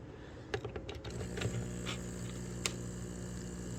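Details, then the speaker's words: Magnet-driven aquarium air pump after being taken apart and repaired for loud noise, lid back on, finger over the outlet to simulate tubing: light handling clicks, then a faint smooth low hum with no rattle or buzz; quiet running. "Barely hear it. Now it's silent again. I'm sure the fish will be happy."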